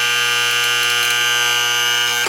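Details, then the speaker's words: Vintage Sankyo Seiki mechanical digital clock, after its motor was oiled and its holes sealed: a steady, harsh, high-pitched electric alarm buzz holds evenly for about two seconds, then cuts off cleanly. The alarm buzzer works properly. "The alarm works pretty well."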